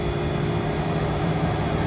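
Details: Walk-in cooler condensing unit after clearing the sight glass, cooler had been at 48 against a 34 setpoint, now about 7 degrees superheat, fan cycling: steady even hum with constant low drone and mid tone, no surging or rattles; running normally.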